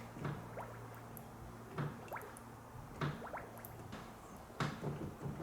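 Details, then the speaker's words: 1984 Mercedes W123 300D Turbo Diesel, wheels turned lock to lock to purge air from the power steering after service; irregular heavy clunks over a pump hum, suspected steering box play. Not confirmed. "You hear that? Kachchunk kachch. That's a steering box."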